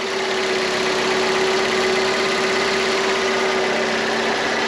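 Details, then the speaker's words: Salvaged car with full service history and cambelt replaced, long sat unused: smooth, quiet idle with a steady low hum and no knocks or ticks, said to sound exactly like an F 500. Normal idle. "well sounds nice and quiet sounds exactly like f 500 does"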